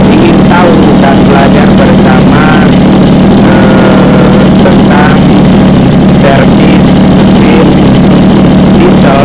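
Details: Mini water-pump engine, two-stroke on premixed gasoline, runs with a steady, even buzz, no misses or surging, after repair; it had been hard-starting and racing from fuel starvation, revving up alone then dying.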